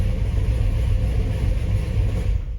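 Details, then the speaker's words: 1970 Chevy El Camino V8 started via the newly installed iKey Premier push-button ignition, with brake pressed: short stretch of low, steady, even burble, then abrupt stop at shutdown; normal idle. "And now all I have to do is press on the brake, press my ignition lighter. Baby fires right up. And I'm ready to drive."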